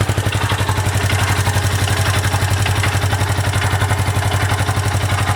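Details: Yamaha YZF R125, previously run low on oil then topped up and now using more oil, runs and rides fine: steady idle with a faint scratchy/squelchy note every 4–5 engine pulses, louder and faster with revs; cause unknown.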